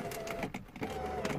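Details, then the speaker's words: 2008 Porsche Boxster S (987), believed 2.7L, driver window switch pressed with key on: motor whirs steadily inside door with grinding clicks but glass doesn't move; failed window regulator. "have you heard that even it hurts listen to this honestly i don't want it i think the damage is already done but it really hurts so yeah there's something wrong with this elevator so obviously the window"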